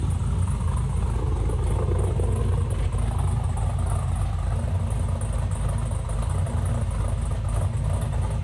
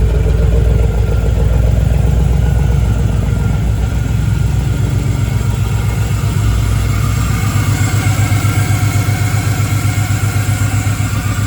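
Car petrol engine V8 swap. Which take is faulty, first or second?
second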